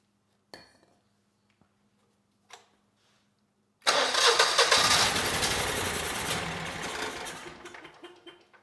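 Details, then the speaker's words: Generac GP17500 17,500 W portable generator (model 0057351), bought non-running and never heard running by the seller; after fuel starts flowing, clicks, then it catches with a roar but sags and fades, not reaching speed or making power; spark, timing and compression confirmed. "Uh, the engine it kind of ran, you know, it ran a little bit at least under its own power. Uh, but it didn't get up to speed."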